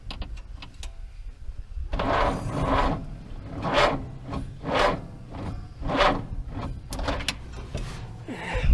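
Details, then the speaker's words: 1949 Chrysler Windsor, sitting since the 1950s, sluggish uneven starter cranking with slow drawn-out compression beats about one a second, never catching; battery weak, reading 6.6 volts. "we're at 6.6 i say we'll get that 12 volt and stick it back in"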